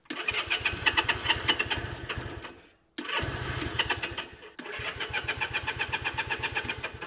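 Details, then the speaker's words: Honda CA78 305 Dream, unridden since 2010, with starting fluid in the cylinders: three short ragged bursts of firing, each dying within seconds. It sputters but won't sustain running and needs the carburettor cleaned. "no but it it it sputtered which is good that's what we needed"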